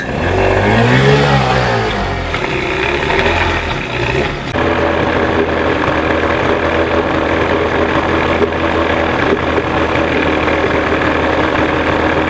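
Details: 1989 Johnson 40 HP VRO outboard after linkage adjustment to wide-open-throttle settings, with the carbs still out of adjustment; revs fall away into a low burbling idle that still wavers slightly.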